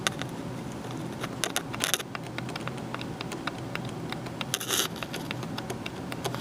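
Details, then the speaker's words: Pre-1934 Emerson Model 23 radio, microphone near broken-cone speaker, tube pin touched with wire before tubes fitted: sharp clicks from the speaker each touch, so the audio output transformer is good. "I think you should have been able to hear that that audio output Transformer is good"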